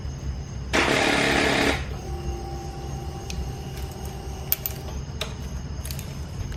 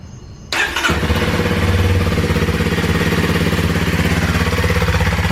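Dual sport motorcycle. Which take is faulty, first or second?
first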